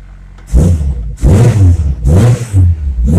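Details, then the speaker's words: Honda Civic with B20B engine, first start-up after fitting SRS catback exhaust, quieter inside: three quick throttle blips climbing smoothly and falling back, deep even exhaust note; normal revving. "alright first start up since new exhaust Wow way quieter inside it sounds good"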